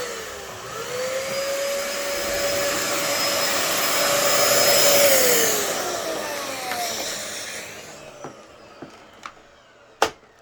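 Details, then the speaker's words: Dyson DC14 upright vacuum fitted with a worn used brush roll with bad bearings. The motor rises to a steady whine with no brush beat, then sags as the brush roll locks up. The motor-to-clutch belt also needs replacing: seized brush roll. "Oh, yep, that brush roller locked up."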